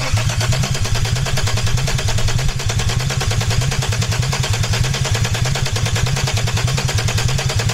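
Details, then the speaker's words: Peugeot 206 with a VR6 24-valve engine from a Sharan, first start attempt on temporary wiring with the fuel pump just connected: starter spins at an even, quick beat for eight seconds and never fires; no ignition or injection power. "bon ça fait pas de bruit [Musique] spécial pour l'instant ça ne démarre pas"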